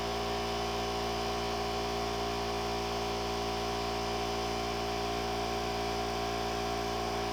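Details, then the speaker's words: Air compressor running inside a newly built quiet box with an internal baffle, lid not yet screwed on, heard from outside the box: constant muffled hum and steady low drone, no knocking or rattling; about 15 dB quieter, normal running. "It's not bad. About 15° 15 decel difference. It's not bad at all."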